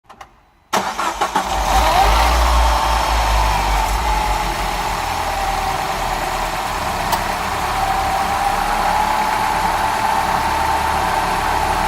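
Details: DS3 THP petrol engine cranking, catching and settling to idle with a strange steady high whine above the engine note at start-up and idle.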